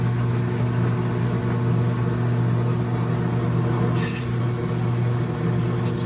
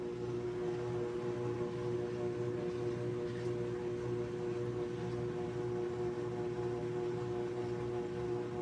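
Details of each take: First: GE top-load washer GTW460ASJ7WW in spin: steady low motor hum, drum only shakes slightly without turning, motor heard trying; drive belt off, so motor runs but doesn't drive the drum. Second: GE washer GTW460ASJ after drive belt installation: spin cycle starts slow then ramps up, picking up speed; smooth steady motor hum, clean even tone, no slapping, squeal or grinding; drum spins properly; normal spin.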